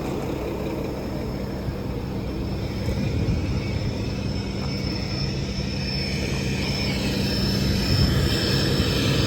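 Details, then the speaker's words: Mack MP8 diesel with straight pipe, running after its first start following a long, troublesome repair: deep, steady, strong rumble with no miss or tick; good oil pressure, engine sounds healthy. "this thing sounds freaking awesome all right let's see how this goes man"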